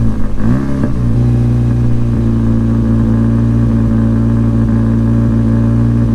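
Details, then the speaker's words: Mk5 Golf GTI Edition 30 start-up: engine catches and revs once, then settles into a steady, ticky drone that dips slightly and cannot hold revs cleanly; owner suspects a misfire, not confirmed. "So what do you think? Obviously it can't hold revs very well."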